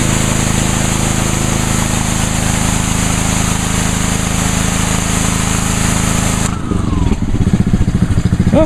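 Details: Brand-new Ryobi 3100 PSI pressure washer, 91-degree day, washing the patio with water only, 25-degree nozzle; steady even drone holds speed as spray starts, no misses or surging; healthy.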